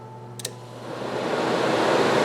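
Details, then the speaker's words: Jeep Compass with crank-no-start auto shutdown relay fault, radiator fan relay commanded with a scan tool: click, then a smooth building rush of air as the fan spins up; radiator fan runs properly on command. "yep yep that's some kind of control yeah I guess that's it it works"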